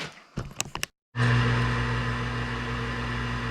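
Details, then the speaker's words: York furnace after pressure switch repair, thermostat turned up to fire: a few clicks, short silence, then loud steady motor hum with whirring tone as inducer starts; noisy but normal, burner lights. "Noisy bugger. It's like the same furnace I got in my house, which is getting ready to get changed to a Carrier Infinity."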